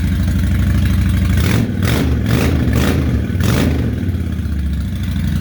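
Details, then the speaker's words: 2003 Honda Shadow 750 Spirit, carbureted 745cc V-twin, 26,337 miles, cold start on choke and spitting a little water from the exhaust: steady loping thump at idle with quick blips that settle back cleanly and a slight exhaust crackle; normal healthy running. "oh it starts right up like that got the choke you can hear the exhaust a little bit of a crack rumble going on it's just clean"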